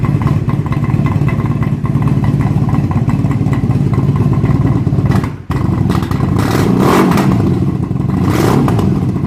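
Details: 1997 Honda Magna 750 V4, factory muffler baffles removed by previous owner, about 108 dB: raw loud blatty exhaust roar with crackle as revs rise and fall, popping on throttle backoff, weak low-end torque; homemade baffles later fitted.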